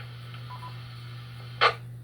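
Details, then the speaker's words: Tulsa WX5TUL amateur radio repeater in severe weather net mode: two quick, faint mid-pitched beeps over a low hum, then a short squelch burst. This courtesy tone replaces the normal three beeps during the net. "No announcements, no IDs except CWIDs during the net. That is your indication that we are in a severe weather net."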